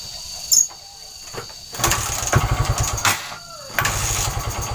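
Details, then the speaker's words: Indonesian trail motorcycle, fine when cold, loses ignition when hot after about 16–17 minutes of running: kick-start clunks, engine catches briefly, dies, fires only momentarily; hot no-start diagnosed as weak pulser coil. "jika motornya panas maka akan mati dan hilang pengapian ini jika kita Nyalakan kita engkol pun dulur maka tidak akan menyala ataupun menyala sebentar dan mati lagi"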